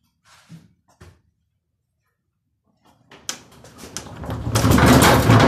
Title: INDESIT smashing with bad bearings